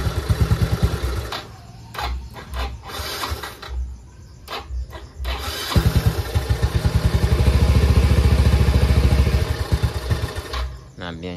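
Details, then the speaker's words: Yamaha Mio i 125 scooter whose TPS setting had been disturbed: engine catches, sputters irregularly and dies whenever the throttle is opened even slightly, repeatedly; TPS needs to be reset with a multitester. "So patay po siya ag pinipiga natin siya ng konti ang kanyang silinyador."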